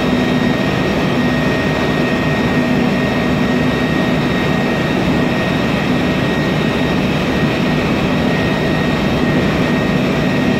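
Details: MAN Lion's Classic city bus, 2007, MAN E2876 LUH03 EEV turbo CNG engine, Voith DIWA 864.3 4-speed automatic: a constant drone with a thin, steady high whine on top throughout, from a noisy automatic gearbox.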